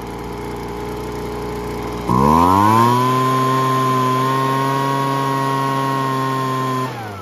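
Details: Weed Eater BV1650 blower vac after Walbro carb kit, limiter cap removed and screw retuned, air filter and cover refitted: revs cleanly to steady high whine without surging, drops back smoothly; running well.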